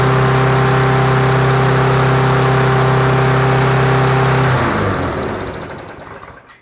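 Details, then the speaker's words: Push mower with Briggs & Stratton Classic engine, after refitting the tank-mounted carburetor with gasket, diaphragm and extra gasket to cure surging: steady even drone holding speed without hunting, then winds down at shutoff; smooth running. "Runs very smooth now."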